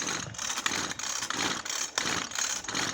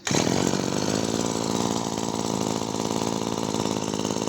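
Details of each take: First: Maruyama CBC20 20cc two-stroke brush cutter before repair, turned over with clutch removed and clutch bolt found loose with a worn hole: light, uneven metallic clatter in bursts about every two-thirds of a second; mechanic suspects crank bearings or the ring scraping the cylinder. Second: Maruyama CBC20 20cc two-stroke brush cutter after rebuild with new crankshaft bearings and a new ring, rod in good condition, tested without the clutch fitted: steady, even buzzing idle, quiet with no knocks or rattles; healthy.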